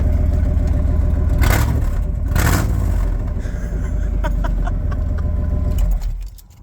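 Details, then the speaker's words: Old V8 truck started mid exhaust work with a catalytic converter cut out, expected to throw codes: after the start catches, a deep, loud, raw rumbling idle, rougher than stock, from the opened exhaust. "Oh, that sounds like an old truck, and I love that sound."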